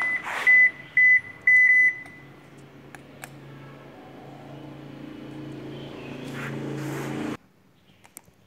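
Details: Toshiba E920LV washing machine showing Eb error: three sharp high beeps about half a second apart, then low motor hum; drain motor position signal fault. Error code Eb.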